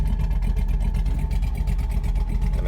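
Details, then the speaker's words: LS V8 truck after cam swap, idle tuned with HP Tuners, commanded 700 rpm in park, 650 in gear, IAC counts around 150: deep, steady, rhythmic cammed lope in gear without stalling; normal cammed idle. "not sounding too bad definitely tell it's got a cam"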